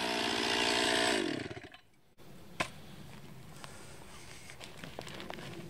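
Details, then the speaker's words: 2020 Stihl MS261, non-M-Tronic carbureted, 20-inch bar, cutting a freshly felled green pine about 1.5 ft round with a straight cut and plunge cut: strong steady high revs for about a second in the wood, then drops off cleanly; normal cutting under load. "as you can see it just rips right through that pine it's definitely a lot softer wood nothing eats that pine up"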